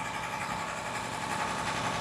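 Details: Honda petrol engine idling with an uneven, stumbling beat; dropped pulses break the low rumble, indicating a misfire. Cause suspected, not confirmed.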